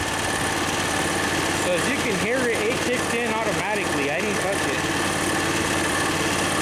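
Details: Harbor Freight engine-driven V-twin compressor, new pump: steady engine idle with loud hiss of air dumping from the unloader; normal unloading at cut-out pressure.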